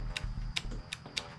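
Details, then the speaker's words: Craftsman DLT3000 lawn tractor, hard starting: sharp repeated solenoid clicks, about three a second, with no cranking; owner had suspected a bad starter solenoid but now doubts it, checking ground wiring; cause unconfirmed. "we hear the solenoid clicking uh in the carburetor I'm going to pull this stuff back out obviously something's not working"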